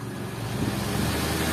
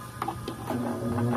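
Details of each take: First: Orbit ceiling fan that previously hummed, spun and then stopped, after repair: even rushing whoosh over a low steady hum with no rattles, hesitation or stopping; the fan now spins smoothly and strongly. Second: Orbit ceiling fan, plugged in: a couple of clicks, then a loud low hum builds as the motor powers up, spinning then stopping; humming from worn bushings.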